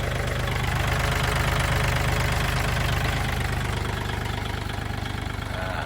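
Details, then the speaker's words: Kubota L4018SP 40 hp diesel tractor, registered 2564 (2021), original engine: even diesel clatter at steady idle about three beats a second, no misses or surges, no smoke, no coolant pushing; healthy, smooth engine. "รถสวยๆเครื่องเดิมๆนะครับเครื่องนิ่มๆนะครับ"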